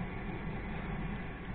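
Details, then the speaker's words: Well pump station with digital pressure regulator mounted in the kitchen, not on the station; after sealing the leaking spot with sealant, steady even hum and smooth water flow, no longer drawing air. "вот и все проблемы ушла больше не поступает с воздухом все отлично"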